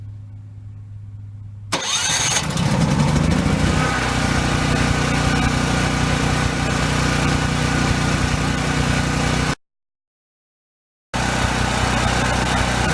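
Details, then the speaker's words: Cummins Onan 2800 W petrol generator in a Travato 59G, started right after an oil change: short crank, then it catches and holds a steady, even drone without surging, knocking or hunting. Normal start and idle. "Alright, I'm going to start it up and let it run for a minute."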